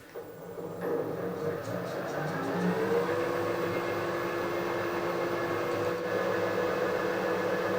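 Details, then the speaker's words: Harrison universal milling machine table motor after fitting new bearings and a new gearbox base seal, retaining plate gasket being changed to 0.3 mm for bearing end float: motor spins up to a smooth, even hum, no grinding; normal run. "this time I'm going to try a 0.3 millimeter gasket anyway the motor's running that's the thing"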